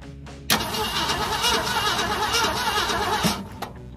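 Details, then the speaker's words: One-owner 1969 Ford V8 with 52,000 miles, first start attempt after 23 years in storage with gas and oil in the cylinders: starter grinds briefly, then it catches and runs rough and loud for a few seconds before dying. "ain't been started it ain't been started 23 years in 23 years we're fixing try to start it"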